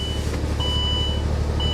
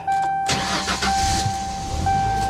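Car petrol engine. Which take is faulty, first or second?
first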